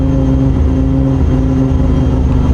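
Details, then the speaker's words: MKIV Toyota Supra with newly fitted cams, first start after setting batched ignition in ECU Master; fast steady idle around 2500 rpm, well above normal tickover; high idle. "2500 rpm that doesn't really sound that good foreign like it never sound like that but it's never had cams in it before and it obviously has camps thing"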